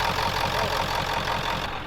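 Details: Ford truck, cold and hard to start that morning, after transmission work: even idle with a light, regular tick about five times a second and no stumbling; runs smoothly and steadily.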